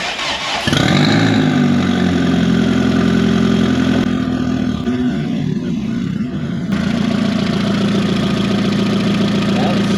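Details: 20v turbo VW Caddy started after coolant fill, temperature sensor missing: engine turns over and catches, settles into a steady, even idle with smooth low hum, no knocks or misses; coolant circulating, no leaks.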